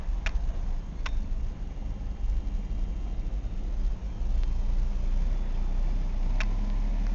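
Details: 1998 Ford Escort ZX2 Sport parts car, about 120,000 miles, fuel fed by bypass pump in a pan, no coolant system, no smoke from tailpipe; low even idle hum, steady rhythm, no misses, knocks or surging: normal idle.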